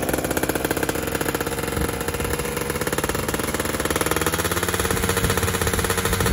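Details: Fizr two-stroke test-ridden after upgrading to a PWK28 carburetor: a fast, crackly rattle rises and falls with the throttle. Jetting is wet at the bottom and dry at the top, so the pilot and main jets will be changed.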